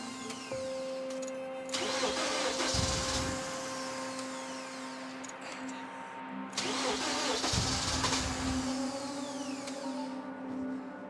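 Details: Freshly rebuilt BMW S14 engine in an E30 M3, first start on battery charger: cranks, catches and revs unevenly, then sags and stumbles as throttle eases; won't hold idle, adjustment needed, cause unknown.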